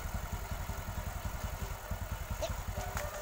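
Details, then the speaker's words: Motorcycle engine idling after repair of a worn-out rebore; spark plug not yet cleaned, so it was hard to start. Even, soft idle pulsing about two to three beats a second, no knock or rattle; now very smooth. "Oke pemirsa, suaranya sudah halus"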